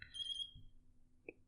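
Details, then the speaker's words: FPV racing drone radio transmitter set to bind mode gives a short high electronic chirp, then one faint blip; normal bind-mode chirp before the receiver is bound. "click bind here. So now it's in bind mode. It should make this chirping noise if you could hear it."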